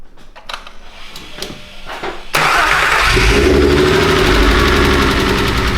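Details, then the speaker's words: 2.8L 12v VR6 Mk4 GTI, first start after bent-valve repair and retiming: starter cranks with a few soft clicks, catches on the first revolution and settles into a steady, quiet, even idle; clean healthy start. "seems like it runs okay should I fire it up again or ready hey she is quiet sounds so good"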